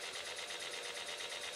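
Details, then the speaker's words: Small electric motor belt-driving a home-built rotary table, running slowly with a fast, even, high-pitched rasp. Something, possibly a piece of shellac, is suspected of rubbing inside the motor. "I'm noising that motor still there I think there's something rubbing piece of shellac or something about that"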